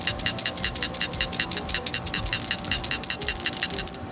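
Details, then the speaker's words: Cleaned old PCV valve from a 2013 Toyota Camry SE with the 2AR-FE engine, shaken by hand: a crisp, light, free rattle of about two or three clicks a second, almost identical to a new one. It is healthy and was refitted. "between the sound and the the the shaking the movement feel that you get from your fingers now it's uh almost identical as the new one so I just put the old one back on for now"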